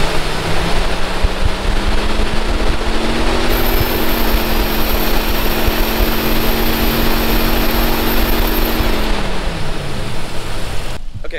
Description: My jeep started to develop this high pitch squeal when at 3000 RPMs. The squeal could be heard inside the jeep at any speed, as long as the RPMs were above 3,000.